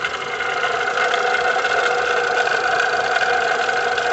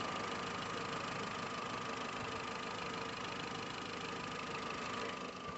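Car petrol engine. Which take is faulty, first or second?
first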